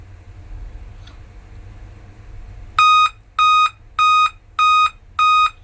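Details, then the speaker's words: Dell laptop at power-on: five evenly spaced sharp high beeps about two-thirds of a second apart; five-beep code from a failed CMOS battery, fixed by replacing it. "तो आपने अभी सुना करके इसमें five beep का problem आता है। तो इसमें आपको करना क्या है? इसमें सिमस बैटरी आपको सिर्फ चेंज करना है।"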